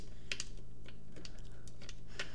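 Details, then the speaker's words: Gotrax GXL V2 scooter: light scattered clicks and ticks from loose pieces in the middle of the front wheel, not the motor (noise remained after motor replacement); fixed by binding the part tight with rubber. "so let me show you it's actually in my case it's actually the pieces in the middle here can you hear the"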